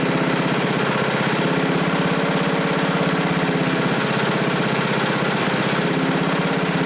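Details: 1987 Briggs & Stratton 8HP Model 19 flathead, aluminum bore, just rebuilt with new rings, carburetor not yet adjusted, on stand: steady, fairly even single-cylinder putter with rapid firing beat, no knocking or misfiring; running smoothly.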